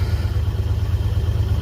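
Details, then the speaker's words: 1964 Dodge Dart, first cold start after many months parked: deep, uneven idle thump with pulses dropping out, running rough and skipping a little; owner suspects the ignition wires, not yet done, and the carburetor, with no power, probably needing to warm up. "She's running. It's been parked a lot of months. I don't know if she's liking it. Sounds like it's skipping a little."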